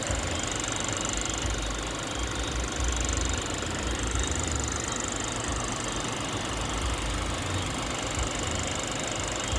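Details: 2008 Toyota Mark X idling with a light rattling tick over the steady hum; strange engine noise, source not pinned down.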